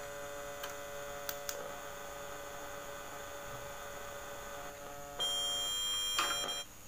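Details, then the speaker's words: Polytron compo stereo fitted with a Bluetooth/MP3 module, filter capacitor lead at output emitter disconnected; steady loud low buzzing mains hum under quiet output with short beeps, hum vanishes when reconnected. "nah suara noise sangat keras muncul kembali"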